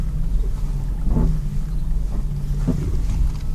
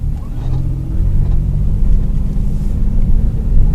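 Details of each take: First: 2001 Ford Escape, steering being turned: low rumble with sharp crackling and popping from the front left and right, also over bumps; worn sway bar end links. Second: 2001 Ford Escape test drive after replacing sway bar end links: steady low road rumble with no crackles, pops or knocks over bumps; slight remaining noise attributed to bad inner tie rod and power steering.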